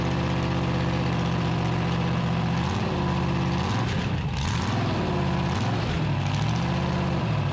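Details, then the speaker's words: 383 big-block V8 with solid lifters and headers in a 1974 Dodge D100, first start after timing advanced: deep, steady lumpy idle with a brief rise and fall, settling evenly with no knocks; normal idle. "sounds like a race car don't it"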